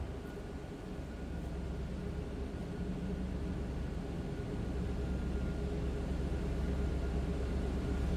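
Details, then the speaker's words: 2000 Toyota Land Cruiser V8, recorded from inside the cabin: low, smooth, even idle with no knocks or misses; sounds good, normal idle. "Sounds good."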